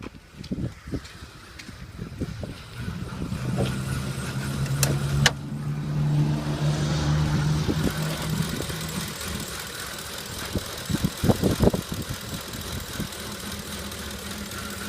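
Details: 2010 Ford F-150 5.4L V8 with stock exhaust: low, uneven rough idle with a brief rev; attributed to a canister purge valve not working properly.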